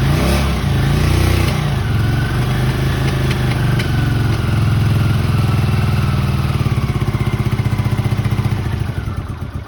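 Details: 1981 Honda CX500 twin, about 32,000 miles, laid up 1995–2022 and overhauled; started from freezing cold with no choke, catches with a deep even thump, revs and settles cleanly; normal cold start.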